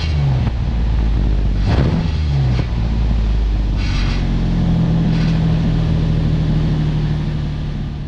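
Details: 2007 Nissan Xterra 4WD, about 209,000 miles, exhaust gutted by previous owner to sound louder: deep, loud, raspy drone swelling as the engine is revved, nearly straight-piped; loud exhaust.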